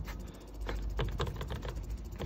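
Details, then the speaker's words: 2001 Mercedes Vito 112 CDI W638, wheel removed, driveshaft rocked by hand toward and away from engine gives quick irregular clacks; play in a worn, dead CV joint though boots are still clean. "Donc, le cardan, il est mort. Donc là, on a les soufflets qui sont encore propres, mais le cardan qui est mort."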